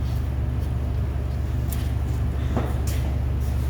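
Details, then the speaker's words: Car's loud open exhaust at idle after fixing an exhaust leak that sent fumes into the trunk with a new pipe: deep, steady low rumble with no puffing or ticking; loud but sound, no leaks. "it's like music to the ears that's what i think"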